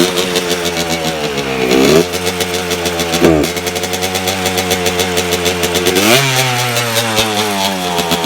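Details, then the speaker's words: 1992 Suzuki RM125 two-stroke after carburetor cleaning: runs fine with slow throttle, but revs stumble and sag when throttle snaps open quickly; bog on fast throttle opening, problem later found and fixed. "so as you guys just saw when I give it like really slowly throttle it'll run good when I give it a good amount of throttle in the fast amount of time it bogs"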